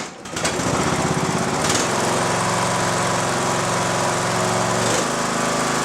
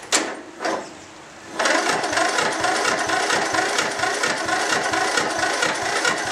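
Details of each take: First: Mower with a recovered lead-acid battery, still with one bad cell, that previously would not crank at all: brisk, even cranking that catches quickly into a steady single-cylinder run; normal cranking and start. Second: Mower not started for a year, lead-acid battery recovered after 24 hours charging but with one bad cell: starter chugs over about two compression strokes a second for eight seconds without firing; weak cranking, needs jump start.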